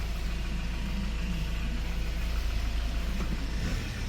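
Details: 2015 Hyundai Porter 2 Super Cab 1-ton automatic electric wing-body truck, Euro 5 diesel with DPF, 149,000 km: steady, even low diesel rumble, no knocks or rattles; quiet, healthy engine, normal running.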